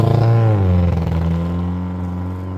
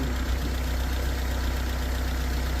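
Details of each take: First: Cheap Honda Civic while driving: the note sags and wavers in an intermittent stutter. It is fine after starting, then stutters. Owner first thought fuel injectors, then suspected spark. Misfire. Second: Cheap Honda Civic just after fitting spark plugs, gaps checked, with the plug wires back on: smooth, even idle with a steady low pulse and no stumble or misfire before shutting off; runs healthy.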